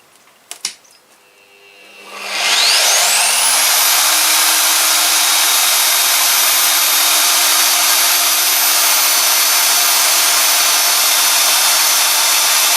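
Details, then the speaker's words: Drill with a bit freshly sharpened on an Ozito DBS-095 cutting through 6 mm plate: spins up to a steady high whine with a clean, even cutting hiss, leaving a neat hole; sharp bit cutting freely. "right, that went through no problems at all. That created a reasonably nice, neat hole."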